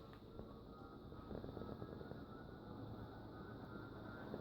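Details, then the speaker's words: 56-inch NuTone Proline industrial ceiling fan on high speed. Smooth, even rushing air with a faint steady hum like a jet engine, no wobble or scraping; the bearings seem good. "you can see it kind of sounds like a jet end or not a jet engine but um airplane prop and kind of I guess it kind of sounds like a jet engine when it's starting up when we switch it to high which I'm gonna do now really sounds like a jet engine"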